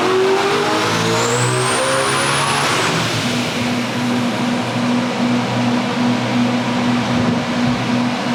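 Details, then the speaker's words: Land speed record engine on a pull: revs sweep up hard then the note collapses near the top and a flat hum remains; changed injector angle made it very rich, it laid over and shut off, locking up the cam sync. "It was going good and then right up at the top, uh, it a couple things. Changed the injector end angle, which made it really rich. And so, it laid over"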